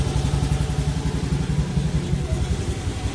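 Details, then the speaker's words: Used Honda Beat automatic scooter at 97,088 km, checked as a second-hand buy; even, quick low putter at idle with no knocks, and the CVT is not noisy; normal idle. "Tuh, saat kita mau beli motor second, kita dengarkan masih halus kan suaranya."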